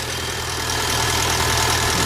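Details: VW Bora GLI 2.0 turbo before repair: dense metallic chatter high over a steady idle from the top of the engine; worn slack timing chain rattling.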